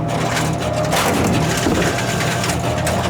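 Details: Royal GIII soda machine, Cherry Coke column test vend after replacing the jam-causing pivot lever spring: motor hum, then the rattle and thud of a can dropping cleanly; an ordinary vend with no jam.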